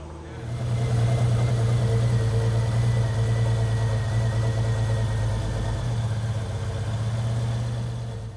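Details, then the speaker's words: 2JZ inline-six swapped into a Hellcat Challenger, first start with FuelTech FT600 ECU: smooth, steady, quiet idle hum with even rhythm and no knocks or ticks, likened to a straight-six Challenger SXT; normal idle. "No, it sounds great. Quiet right now. You know what this reminds me of? V6."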